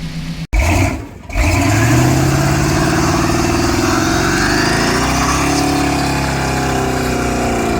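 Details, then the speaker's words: 2001 Toyota MR2 with Honda K24 swap, untuned, big muffler: quiet, smooth even note climbing cleanly through a couple of free revs, little noise on gas, settling to a steady smooth idle; sounds healthy. "rev it up a couple times yeah there you go there you go yeah she's she makes a little noise when they give her a little bit of gas there yep idling pretty smooth sounds good"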